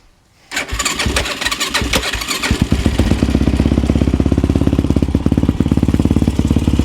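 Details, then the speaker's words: Yamaha YFZ450 with 480cc big bore kit, freshly rebuilt after a blown head gasket, 65 pilot and 175 main jet, idle being adjusted: slightly loping single-cylinder thump at idle; owner thinks the pilot jet may be too big, possibly rich, unsure. "Run pretty good. I think our pilot may be a little big. I'm not sure."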